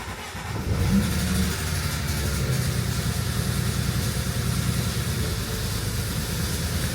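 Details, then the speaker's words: BMW E90 335i N54 with bolt-ons, not run for a month, cold start settling into rough idle with deep uneven knocking; owner suspects rod knock, later found transmission wiggling loose. "Once it warms up a little bit, you'll hear as the idle comes a little down. So, I hear the knocking. I I think it's rod knock."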